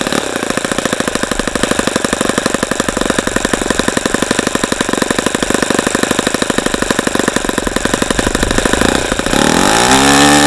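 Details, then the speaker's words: ASP FS65 glow engine on a stand at 29°F, started with lighter fluid, running an APC 12x6 prop, OS F plug and 5% nitro fuel. Fast even buzz that drops smoothly to a steady lower note: normal idle, a good run. "okay so that was a that was a good run once we got the engine started"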